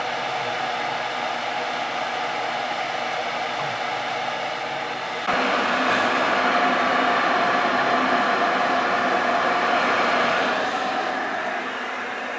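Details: Ruud gas furnace that ran but wouldn't fire up, in heat mode with thermostat jumped out, air still in the gas line: steady blower hum, then sudden step up as the burner lights into an even roar that holds smoothly; normal firing.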